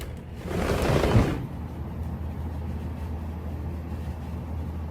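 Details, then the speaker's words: Midea U window air conditioner after a cranking-noise fix (the window was opened and closed): only a low, even hum with no cranking or knocking, blowing cold air and running very quietly. "it's silent and it's definitely running and it is cold air wow this is indeed the quietest ever"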